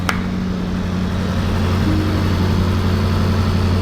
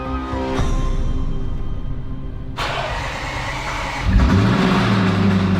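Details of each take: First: Rebuilt salvage 2021 Range Rover SVR V8 after engine block failure and repair, exhaust disconnected, first start: smooth steady idle with low even rumble and cooling fan whir, no knocks or misses; sounds normal. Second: 2021 Range Rover SVR, first start after a replacement engine was installed: long crank, then it catches with a deep, heavy knock under a rough idle; shut down at once, bottom-end trouble suspected if there is no oil pressure, not confirmed.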